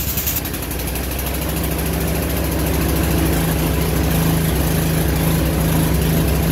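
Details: Old snowblower's small single-cylinder engine after belt replacement settles into a steady, even run with a smooth low drone and no knocks or misses; sounds healthy.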